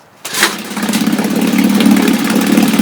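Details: Restored 1962 Johnson Seahorse 3 HP outboard, first start attempt, started without choke on a warm day: catches right away and settles into a steady, even buzz with no misses or knocks; a clean, healthy start.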